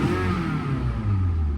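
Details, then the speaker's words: Used Toyota small SUV, inspected at auction: a deep, smooth exhaust note swells with brief throttle revs, with no knocks or rattles; the engine sounds healthy, normal revving. "It sounds healthy. It sounds healthy, sounds crispy."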